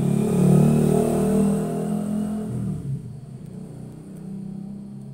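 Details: Polytron refrigerator compressor: deep heavy hum that never spins up, dropping out after about three seconds as the overload trips on high current; open start winding, so it only hums.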